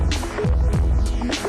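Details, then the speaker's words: 2015+ Ford Mustang EcoBoost after a spark plug change, idling: deep, even throbbing with a slight normal rpm dip and no misses or stumbles; owner finds idle noticeably smoother, a normal idle. "But yeah, it's honestly a lot smoother for idle. It says it has throttle response, all kinds of stuff."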